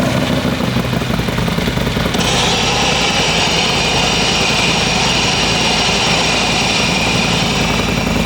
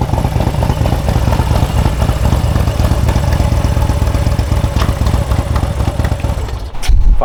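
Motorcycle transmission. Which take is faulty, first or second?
first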